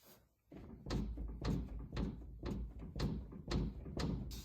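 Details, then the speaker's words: 2000 BMW E46 convertible, front lower control arm worked back and forth: dull clunks about twice a second; the ball joint to the cross member is shot, with slight bearing play too, so the arm assembly is replaced. "the ball joint here, this one that goes up to the cross member, is shot. It's the one that's moving around excessively,"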